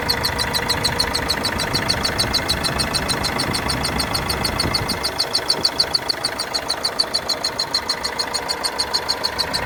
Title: corsa my 2013 1.3cdti strange noise